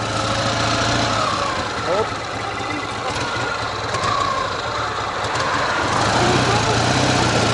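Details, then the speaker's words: Ural boxer-twin motorcycle with sidecar, engine cold: faint, fairly regular knock about four per second appearing under load, from the left cylinder while the right is clean; cause unknown. "Под нагрузкой, слышите? Именно под нагрузкой левый цилиндр стучит. Что стучит, непонятно."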